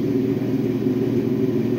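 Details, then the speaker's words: 2012 Acura MDX 3.7L V6 running with a fast, dense rattle from a very loose timing belt, already skipped one tooth, caused by a faulty hydraulic timing belt tensioner. "here is the MDX 2012 MDX with that horrible noise and that's what it was it was very close to disaster look at the time it belt this is so loose it's unbelievable it's already skipped one tooth all it was is just a faulty tensioner"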